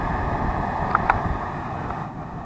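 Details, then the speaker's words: Atwood RV furnace after cleaning and lubricating the blower motor, running at about 200 degrees: steady even blower whoosh with no squeal. "Absolutely no squeal. Just a real slight odor when I first turned it on, but it's working."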